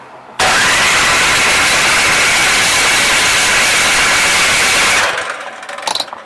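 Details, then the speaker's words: Troy Bilt 2410 snow blower that ran last year, tried on electric start with the key and primer and no fuel shutoff valve; the starter whirs steadily for several seconds but the engine never catches. Cranking, no start. "not happening okay so in order to have a small engine run you need air spark fuel compression and that equals combustion"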